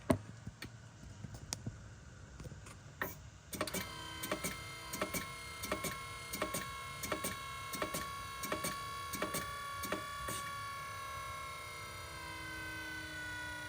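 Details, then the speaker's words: BMW E60/E63 M5/M6 SMG pump during INPA bleeding procedure: quiet ticking then thin steady hum as the pump builds pressure; normal working noise. "So you can hear the SMG pump just making noises as it's working."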